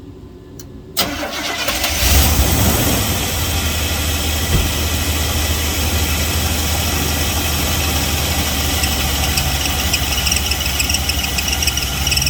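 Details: Car with failing A/C compressor, white residue and heat-discolored metal from overheating: engine idles rough with steady low drone and uneven harsh chatter, compressor about to seize.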